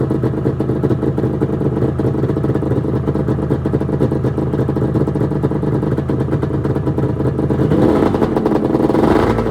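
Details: 1996 Arctic Cat ZRT 600 two-stroke snowmobile, cold start after fuel pump rebuild, fuel shut off overnight: busy crackle runs steadily then rises when revved; normal cold start and running.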